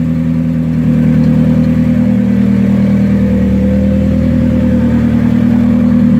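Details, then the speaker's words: Turbo Hyundai Tiburon with LSD, not yet fully warm, driving in first gear at about 5 mph: a smooth, even drone with no knocks or rattles. Fuel pressure still needs setting to about 43 psi base. "First gear, like 5 miles an hour. car sounds good. Good old LSD."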